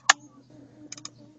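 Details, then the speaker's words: Fiat Tipo, key on without cranking: one sharp relay click, then a quick burst of three more, with the fault/injection lamp flashing in step; relay cycling, cause unknown, owner suspects injection or fuel pump. "toda vez que eu ligo o carro sem dar partida o relé começa a piscar e a lâmpada de anomalia ou injeção sei lá fica piscando junto aquela pisca e o barulho no relé é grande"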